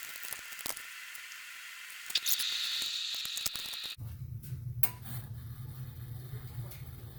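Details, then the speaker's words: Well pump cutting in after a wellhead pressure switch replacement on a 240 V system: water hiss draining down, then an abrupt even hum as the pump starts right at 40 PSI; normal cut-in (before the fix, pressure fell to 25 PSI). "All right, we win. Came on right at 40 PSI."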